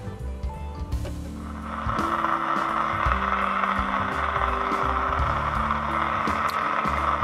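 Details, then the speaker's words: Old Onwa CB radio on bench power with antenna: speaker hisses, channels change, only faint muddled audio with strange noises; receiver very quiet at full volume and power meter shows no transmit output, weak receiver, cause unconfirmed. "słychać głośnik szumi radio kanały zmienia zobaczymy jeszcze czy jest nadawanie jakieś dziwne odgłosy"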